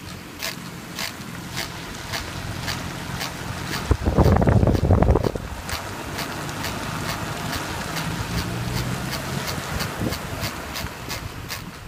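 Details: Mini Cooper S JCW R53 driving: a sharp, regular tick about twice a second over low road rumble from the passenger front corner, persisting after the wheel bearing was replaced; cause unknown.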